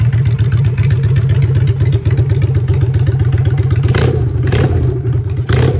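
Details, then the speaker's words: Honda Shadow V-twin with new custom exhaust pipes, in neutral: lumpy, uneven idle with deep exhaust thump and a few quick throttle blips rising and falling; engine runs healthy, normal idle and revs. "Let's hear the bike for the choke out on neutral."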